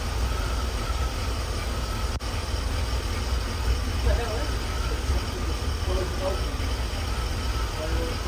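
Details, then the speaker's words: 1984 Chevy K20 with 350 V8 after sitting 7 years, following spark plug and oil change: deep steady low rumble with even beat, no misses or knocks; small-block idling smoothly, normal idle. "Well, I think that's another win. It's getting smoother as it sits. Purrs like a kitten, quite frankly."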